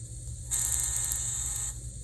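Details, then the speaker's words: Kato N-scale FP-7 locomotive with a Digitrax sound decoder and a sugar-cube speaker without a baffle, playing startup sounds: a thin, buzzy horn with crackly edges. "So here we go. Sugar cube speaker without baffle. Startup cycle sounds. You hear that crackle? The crackle in the horn."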